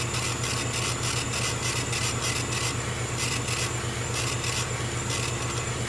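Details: Small air compressor beside a laser engraver during a job: a steady low hum under a rapid, even hiss, with no knocking or squeal. It runs normally and is quieter than typical compressors.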